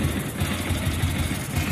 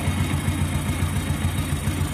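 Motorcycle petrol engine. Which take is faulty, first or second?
second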